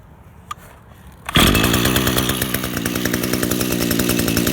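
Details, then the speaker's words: Echo GT-2000 curved-shaft two-stroke trimmer, serviced with genuine Zama carburetor, new spark plug and air filter: a quiet pull, catches instantly and buzzes at a steady even idle, clutch holds head still; running healthy. "It runs very easy. Has a clutch, so you can walk by the trimmer head while it's idling."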